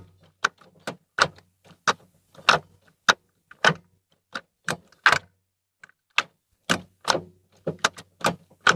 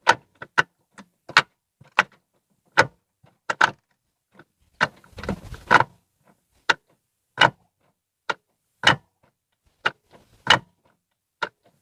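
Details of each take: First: Ford Fiesta Zetec Rocam, after repair of gearshift noise (previously cracking, worst into second), microphone at same spot as before test: crisp, quick clicks through the gates, no grinding, squeak or drag; shifting back to normal. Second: Ford Fiesta Zetec Rocam, microphone placed down beside the gearbox, engine off: sharp, dry metal-on-metal clacks in uneven bursts as the lever moves, worst going into second gear; gearbox oil was slightly below level; suspected dry, loose shift linkage.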